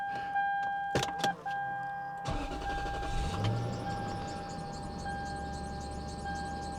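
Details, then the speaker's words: Lexus LS430 V8 after repairing a cupped intake leak past the mass airflow sensor, low on fuel: door chimes, short crank, then even steady idle without stumble; runs better, no check engine light. "Well, you know what? She runs better. And so far, no check engine light."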